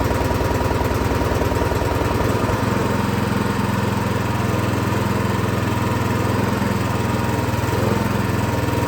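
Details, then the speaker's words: Craftsman SB 425 24-inch snowblower: the small single-cylinder engine starts and runs at a steady, fairly fast beat only on full choke, so far so-so on half choke, pointing to a carburetor fault. "All right, well, it does start, but it seems that it only runs on choke."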